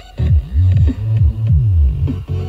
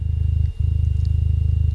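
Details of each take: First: 300 W RMS subwoofer after repair of buzzing, suspected debris between voice coil and magnet cleared with compressed air: deep bass with clean punchy thumps, no rattle or buzz; plays cleanly. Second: 300 W RMS subwoofer, amp confirmed fine: a low, fast pulsing buzz under the bass. Debris is suspected in the voice coil gap, making the coil rub. Still buzzing, less so, after blowing it out with compressed air.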